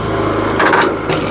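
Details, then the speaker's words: SuperSplit kinetic wood splitter, small engine running: steady drone broken by a half-second burst of rapid clattering as the rack drive skips because the lever was not raised fully; lower rpm makes it quieter but cuts splitting pressure. "I'm going to make it skip I'll make it skip by not raising it up for you got to get on it"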